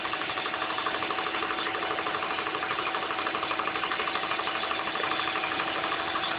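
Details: Engine at idle: quick light ticking about three per second riding evenly over a steady idle; owner suspects the injectors, unconfirmed.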